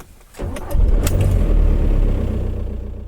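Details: Skoda Fabia Mk1 1.9 PD diesel, previously suffering power loss, dash cluster failure and a no-start, test-started right after its dash cluster connector was reseated. A short crank, then it catches at once and settles into a steady, even idle.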